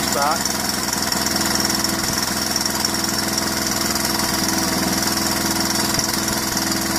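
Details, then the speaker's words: 1981 Honda XL125S single with 7,000 miles: a fast, light ticking rattle of about three ticks a second over the idle from the top end. Cam chain problems and low compression are known, and the cam chain adjuster appears frozen. The cause is suspected, not confirmed. "yeah so we've gotta sort out this rattle on the top end but it's 7 000 mile on it"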